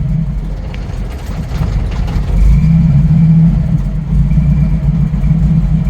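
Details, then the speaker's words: 1990 Jeep YJ 4.2L 5-speed with carburetor problems, warming to normal temperature: low uneven rumble surging and sagging under 1000 rpm, needing throttle, then stalls; rough idle near stalling, carburetor suspected. "I'm kind of having to keep my foot on it just a little bit to keep it running cuz as soon as it starts to drop below a th000 it wants to sputter and die"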